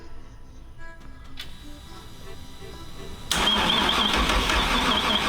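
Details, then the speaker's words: Flooded, wrecked 2014 Super Air Nautique 230 surf boat engine on 93 octane, spark plug out checking spark: steady even cranking with no firing; no spark, distributor suspected. "stop we don't have any spark so I think the distributor might be kicked up a little bit so let's tear that apart and see why we have no spark"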